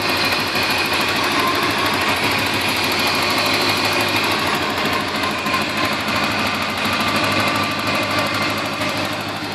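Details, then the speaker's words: 1987 Porsche 928 S4, fully cleaned and serviced, starts right away: smooth, steady idle with even, quick light clicking from the injectors, not mechanical valvetrain tick; normal idle with injector clatter. "they they have a little bit of a clacky sound, but it isn't a mechanical uh tick, so it isn't upper valve tray noise. It um it is truly just the injectors, but other than that, it uh purr along just good, perfectly fine."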